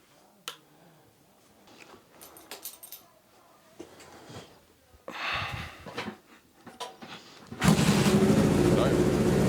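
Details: 1977 Suzuki GS750: handling and clicks, then the four catches and settles into a steady, even idle with no knocks or misfires. The test ride went well; not perfectly tuned but rideable. Normal running.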